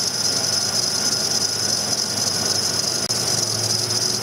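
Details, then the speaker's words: 2001 Ford Ranger 3.0L during cam sensor (P0340) testing with the engine running; a constant shrill squeal sits high above the engine, a noisy fan belt squeal, while the cam synchronizer shows no signal and needs replacing. "starting the truck you'll have have to ignore the noisy fan for a second or the fan belt"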